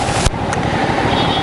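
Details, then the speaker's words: Hyosung GV650 Aquila V-twin just serviced, with new ignition coils, spark plugs, oil, coolant tank and front tyre. An even, steady beat with a regular low thump and no misses or ticking means it is running cleanly. "so she's running like a dream now"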